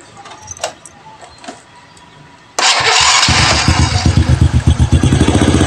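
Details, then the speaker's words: Honda Supra Fit New, engine just started: fast, fairly even metallic clatter, about four ticks a second, from the clutch housing side; common fault of this model, traced to a weak automatic clutch spring. "Jadi suaranya seperti itu ya. Ada keletek keletek keletek keletek dan keletek ya. sangat memusingkan dan sangat membingungkan ya."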